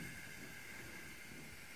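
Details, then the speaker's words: Kohler toilet that runs continuously: quiet, constant high hiss that stops when the supply is turned off. Water leaks past the fill/inlet valve; the fix is cleaning the flapper seal underside and the inlet valve seat. "so you hear that little bit of a hissing that's an indication that it's leaking"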